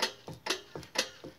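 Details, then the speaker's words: Sharp, regular clicking about four times a second, alternating loud and soft, while driving a 2014 Ram 1500 Crew Cab: N-FAB nerf/step bar brackets rattling after about a year; mounting bolts not loose. "I've had them for a little while now they rattle while driving I don't know if you can hear that click"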